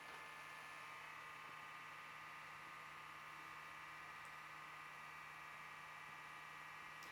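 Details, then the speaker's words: Digital PC 5000 Pentium II system powering up after reseating the modular motherboard: quiet steady hum with buzzy tone and airy whir that never settles; bad power supply fan. "so we'll see if it still works obviously there's a bad fan in it"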